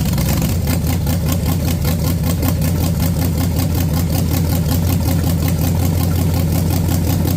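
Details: Junkyard-built SBC 350 for 1984 Camaro, hydraulic flat tappet mystery cam, Vortec heads, GM Performance intake, first run on engine stand: loud even V8 lope at fast idle, steady regular pulses, no knocks; runs smoothly, no leaks seen.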